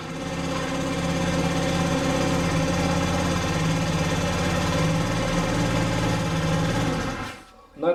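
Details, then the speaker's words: Scooter whose kickstarter slipped and grated, after replacing the ratchet and straightening the kick lever to clear the case by about half a centimetre; the small engine starts and holds a steady, even buzz for about seven seconds. "И, по сути, это решает всю проблему. Теперь мы попробуем это запустить."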